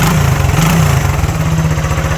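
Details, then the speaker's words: Restored Honda CB125 single, first start, catching on the first kick, then putters at an even, steady idle with a clean regular beat and no knocks or misses; normal healthy idle. "And listen to it. Isn't she just a little But just darling? listen to that. It's just a little darling."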